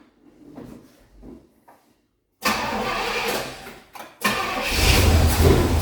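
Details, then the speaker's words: 1973 Pontiac Ventura, rebuilt 350 Pontiac V8, carburetor replaced after draining 26+ year-old gas; first-start idle: after a few cranks it catches and idles roughly with irregular pops; four-corner idle screws out of balance (1.5 turns front, 0.5 rear), owner expects setting them cures the pop. "get this four corner idle set and I bet that pop goes away"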